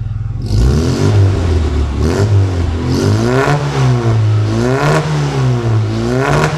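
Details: Austin Mini 1000 four-stroke (HIF38 carburettor, Maniflow exhaust, stage 1) after valve clearance adjustment, short revs: blips rise and fall cleanly with no ticking or clatter from the top end; healthy running.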